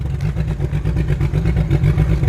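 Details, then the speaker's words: Drift car V8 that suddenly lost all power: a deep, lumpy rumble with uneven, stumbling pulses. Misfire, with all spark plugs found fouled from far too much fuel; the cause of the over-fueling is still unknown. "Well, idea one was we're incorrect. All the spark plugs are just covered in shit. But none exploded. So, gotta figure out why we're getting a whole bunch, way too much fuel."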